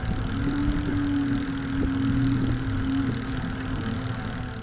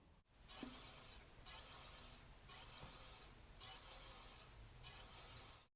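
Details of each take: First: E-bike hub motor drawing high amps while crawling up a steep hill: a steady mid-pitched hum over low rumble that fades once over the crest. This is normal motor noise. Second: Electric bike rear disc brake whose rotor sits too close to one pad in the caliper, making a faint airy swish about once a second as the wheel turns; fixed by loosening the two caliper bolts with a 5 mm hex key and re-centering.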